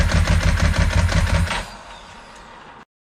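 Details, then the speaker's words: 2002 Ducati 748, stalled project being revived after crash and neglect, fuel pump just reconnected: engine catches and thumps unevenly for a second and a half then dies; picks up slightly with throttle but won't rev, dies off throttle; fuel starvation. "so at this stage it's obvious the bike isn't going to run correctly so it'll pick up if I give it a little bit of throttle but it won't rev up and as soon as I let the throttle go the bike dies"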